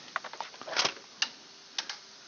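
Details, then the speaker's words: Repaired fire-damaged EB832 power unit, reassembled and connected to power and head unit: a few sharp, dry clicks at uneven intervals over quiet; relays switch in normally at power-up and the main light comes on. "okay good news the light is on the main light is on and I've heard some clicking"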